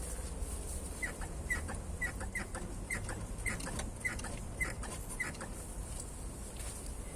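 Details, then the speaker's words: BMW E39 front suspension rocked by hand: short, high chirpy squeaks about twice a second from dry ball joints with torn dust boots on both sides, at first mistaken for struts; boots replaced. "Обратите внимание видите как разорвалась как разорвался пыльник и также самое здесь от этого скрип как у телеги"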